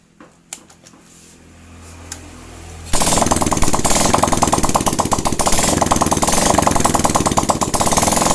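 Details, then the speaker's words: Honda Supra Fit-type 100cc motorcycle that was hard to start despite good spark and fuel; after refitting the cylinder head and carburetor, it fires up into a quick, even single-cylinder putter that holds steady at idle; normal idle. "Hai malam nih mesinnya sudah bisa hidup kembali ya para brader semua jadi seperti itu cara mengatasi atau memperbaiki motor yang susah hidup tapi pengapian dan bensin itu ada"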